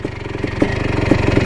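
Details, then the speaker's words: 1987 Yamaha YZ490 two-stroke on a test ride after the carb was taken apart, running on new fuel: crisp, regular popping at low revs that picks up cleanly. Less boggy than before, now running well. "running a lot better though I think that you feel really help definitely not as boggy now looks pretty good"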